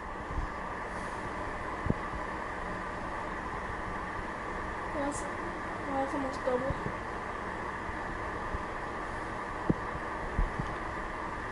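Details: Emerson Casablanca Classic ceiling fan motor with borrowed blades, running on low in reverse, drawing about 0.21 A: quiet, even hum with a steady low tone and no ticking, scraping or wobble; normal running.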